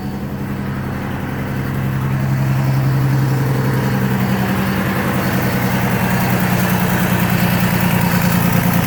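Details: GMC Envoy XL, keyless start, started after being put back together; idle drones low, wavers and never settles, rough idle with no clear knock or tick, something still not right.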